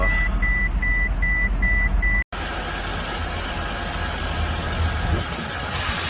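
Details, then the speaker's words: Mercedes W221 that died on the highway, after fuel pump, relay, CKP sensor and oil replaced: a few dash-chime beeps, pause, then steady even low idle; starts and runs normally. "자, 갑시다. 시동 온 되겠습니다."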